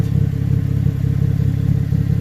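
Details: 2014 GMC Acadia 3.6L AWD idling, heard from underneath: deep rapid puffing beat from an exhaust leak where the intermediate pipe rotted and separated at the flange after the catalytic converter.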